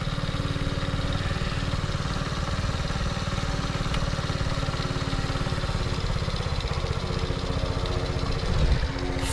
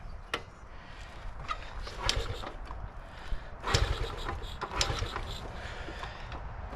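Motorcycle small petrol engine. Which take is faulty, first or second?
second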